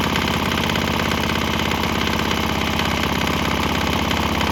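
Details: Swan X 165F Chinese single-cylinder diesel on a shipping crate, throttle on start, running on used canola fryer oil: steady even thump about 200 beats a minute, slight tempo change and exhaust note shift, no knock or misfire; runs fine.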